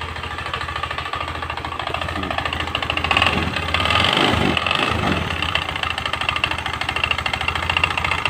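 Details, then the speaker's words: Honda Spacy scooter, earlier serviced elsewhere with new con rod and sleeve yet still very rough: harsh uneven clatter at idle rising with blips, traced to flywheel/magnet cooling fan area; fan loose on worn bosses, sleeve and rod fine. "Oke suara sangat kasar sekali ya eah tapi sumber suara ada di sini nah ada di area area magnet kipas ya"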